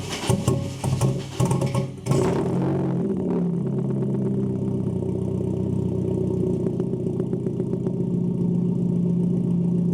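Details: Nissan 240SX with a 3" ISR straight-pipe exhaust and a newly installed resonator: fires after a short crank and settles into a steady, deep, even idle burble, loud but smooth and quieter than before. Normal idle.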